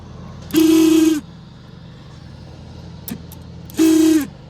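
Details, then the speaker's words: Bus's OEM rear air conditioner fan motor, removed and run briefly on 12 V: two short runs, each a harsh raspy screech over a steady whir that sags as it coasts down; very dry bearings, lube already tried without effect. "all right so what we got got here is some incredibly dry sounding bearings all right you know I thought it was that"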